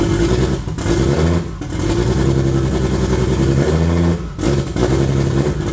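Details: Toyota 2JZ turbo six in a Holden VL Commodore, first run in eight years after wiring work; uneven lumpy revving with a stumbling beat, running on five cylinders; misfire.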